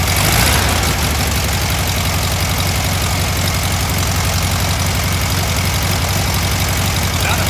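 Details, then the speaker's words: Warm VW Thing air-cooled four-cylinder during a tune-up after dwell and distributor setting: holds a fast, steady idle well above a normal lope. The throttle cable is too tight and holding the throttle open; idle adjusts with three screws. "good here yeah the idle is really high right now because you're"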